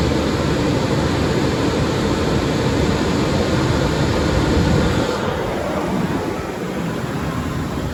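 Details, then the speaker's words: 2004 Lincoln Navigator after WD-40 was sprayed on the noisy belt: even, steady engine rush with no squeal or chirp, the belt noise is basically gone; quiet drive belt. "there you guys have it as you can see the noise is basically gone just by spraying some wd-40"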